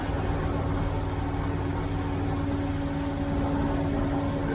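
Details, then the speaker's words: 1971 Corvette C3 with freshly rebuilt Quadrajet four-barrel carburetor, first start on choke: fast, even idle with a steady drone, well above the expected 1800 rpm choke idle (700-800 rpm warm); idle speed needs backing off. "that's still way too high i'm about to back it off a little bit i don't like that idling that fast"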